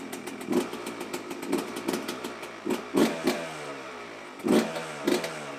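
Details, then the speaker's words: Yamaha YZ125 two-stroke after fresh top end (new Wiseco piston, Cometic gaskets, new spark plug), first start before break-in: catches quickly, sharp irregular throttle blips over ringing idle; starts right up and revs healthy. "But we just got it started right up, no problem."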